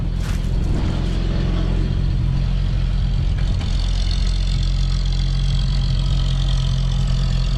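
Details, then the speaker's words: CCKW truck engine just started on choke: steady, even low rumble with smooth unchanging beat, no knocks or misses; no exhaust leak heard, idles cleanly. "Sounds good. I don't hear an exhaust leak anywhere. out here like it was."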